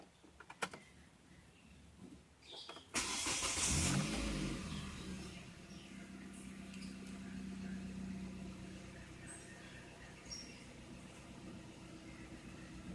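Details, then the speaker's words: Hyundai Trajet after replacing engine mounting bushings with Lancer bushings: quick crank, catch, brief rev, then quiet steady idle; steering-wheel vibration at idle that was strongly felt before is now much reduced; normal idle. "getarnya berkurang banyak ya Biasanya kita pas waktu Idol aja ketika kita pegang setir tuh kerasa banget getarnya Alhamdulillah berkurang banyak"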